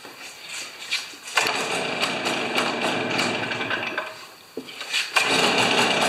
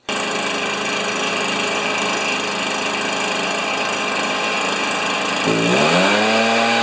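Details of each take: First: Stihl BR430 backpack leaf blower, neglected three years, plug cleaned: revs surge and stumble, rising and sagging unevenly instead of holding a steady roar; acting like a plugged muffler, later found plugged when removed. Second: Stihl BR430 backpack leaf blower, neglected three years: steady high buzzy two-stroke note, climbing smoothly as the throttle opens; normal running.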